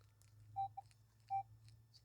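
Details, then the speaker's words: Minelab Equinox in Field 1, iron bias 0, F2 raised from 7 to 8: short clipped mid-pitch bottle cap beeps, three or four broken chirps, fading as the higher F2 setting starts to suppress it. "So there you go. 8 starts to get rid of it."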